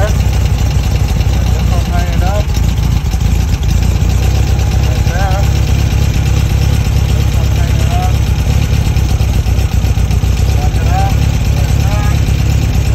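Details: Dual Weber 40 mm IDF carburetors after the dirty idle jet was removed and cleaned: a deep, steady idle rumble that holds even and settles without stumbling; it now runs smoothly at idle.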